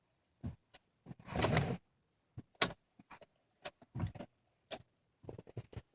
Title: 2003 passat no start no crank odd clicking/movement sound behind dash